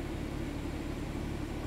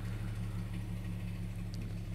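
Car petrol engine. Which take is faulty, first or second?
second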